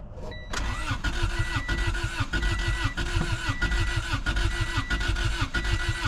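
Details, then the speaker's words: Honda Civic sitting about 10 years with varnished fuel, no fuel pump heard at key on; steady even cranking for six seconds with no firing: crank no start, fuel pump suspected dead. "so it's been sitting a long time my hopes are not very high on the fuel pump even working"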